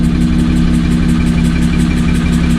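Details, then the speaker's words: Car with issues after a track day, still noisy after the intake was checked and one cam position sensor replaced: a fast, even tick about six times a second over the exhaust at idle; source unknown, owner plans to replace the other cam sensor. "all right as you can hear it hasn't changed it's still there"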